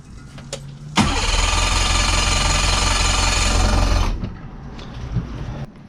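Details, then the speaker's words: Yamaha 115 two-stroke outboard started after oil level sensor replacement for smoking and oil overflow, residual oil in carbs: catches abruptly, steady even buzzing idle about three seconds; smoked a little, owner thinks plugs may need changing; normal running. "cleared up nicely. I did smoke a little bit. I have a feeling that I might need to cycle my spark plugs again, but that went pretty well. And it's warmed up nice."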